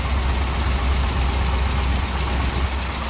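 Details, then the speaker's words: 1961 Dodge C800 ramp truck, fresh oil, warming up and idled down: steady deep idle with constant airy hiss; vacuum leak at carburetor from worn throttle shaft, to be fixed. "And we got a vacuum leak on the carburetor. The throttle shaft is kind of worn, so I'll have to address that."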